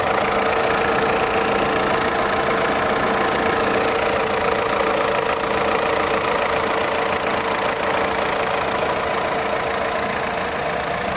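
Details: VW Polo 6N2 1.4i 16V petrol at idle: even idle with a fast, faint light clatter from the engine block; stops when accelerating, engine otherwise pulls well, source unknown.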